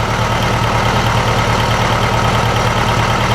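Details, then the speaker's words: 1956 VW Beetle air-cooled flat-four, timing possibly too advanced, warming up: uneven, lumpy low idle beat; suspected dead cylinder or cam; misfire at idle. "I'm thinking it's either one of the cylinders isn't firing, or maybe this thing has a cam in it."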